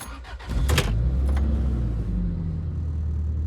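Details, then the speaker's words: Toyota Previa started after a transmission fluid change and code clearing. The engine catches quickly and settles straight to a steady, even idle with only plastic rattles; it previously hunted high and low and occasionally stumbled, so this is a normal idle. "And it actually sounds a lot better, other than all the rattling plastic. Yeah, it came right to idle."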